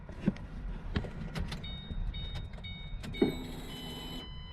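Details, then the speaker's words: 2007 V6 Mustang that was totaled in an accident and won't start, heard under the back seat cover at key-on: clicks, then a thin electric whine for about 2.5 s. The fuel pump primes normally; the owner suspects air in the fuel rails. "it fuel pump's definitely working all right so the fuel pump's definitely working"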